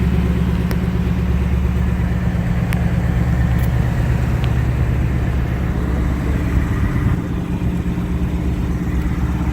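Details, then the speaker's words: 2018-2019 Mustang after oil change to 5W30 full synthetic plus additive, checked for the previous engine tick: smooth, even low idle rumble with no ticking; normal idle. "so far the car sounds really good no ticks so far"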